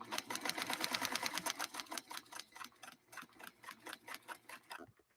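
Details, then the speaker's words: Vintage Necchi Lelia 512 sewing machine sewing through a paper base: crisp even stitch clicks about three a second easing off and stopping, no grinding or skipping; sews cleanly, tension fine. "and listen to that because it's a paper base uh we're really having to push that needle through you can hear it kind of cutting through uh that paper as we go"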